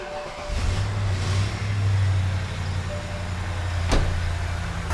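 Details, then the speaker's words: 2009 BMW E70 X5 N62B48 4.8L V8 idling after the accessory belt was refitted: steady even idle, no chirp or squeal. Squeak gone; it came from the pulley tensioner, which had been loosened when the belt was removed. "It's not there. Well, that's disappointing."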